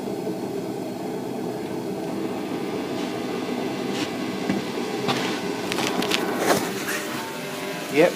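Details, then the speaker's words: Clarke Little Devil gas blower heater, not fired up for a while, started in a cold workshop: steady, even rushing roar of fan and burner with no surging or popping, running normally. "i managed to get my little gas blower heater out called a clock little devil i'll see if i can fire it up hasn't fired up for a little while"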